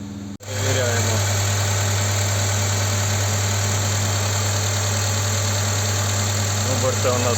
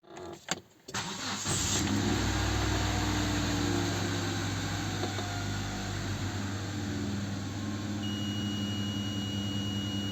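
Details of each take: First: Hyundai Santa Fe petrol after new valve cover gasket and sealing of vacuum leak from broken bolts: once slightly warmed, high hunting idle drops and engine runs with low steady even hum. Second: Hyundai Santa Fe petrol engine settles into a fast idle above 1000 rpm, sometimes up to 2000, shifting instead of calming; also hard starting and hesitation on throttle; pinching a hose drops the revs, pointing to a vacuum leak.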